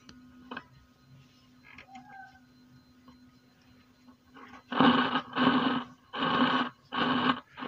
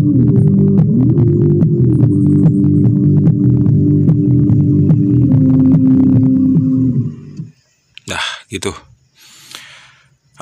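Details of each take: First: DIY active speaker amplifier on an 18 V transformer: a steady low hum, then loud rough crackling bursts as the volume pot turns, still no audio output; a small or ceramic capacitor is suspected. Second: Homemade active speaker after repair: music plays cleanly with full bass and hum gone, though top end dull (woofer only, no tweeter/mid); hum caused by intermittent RCA cable to the potentiometer, 18 V transformer used.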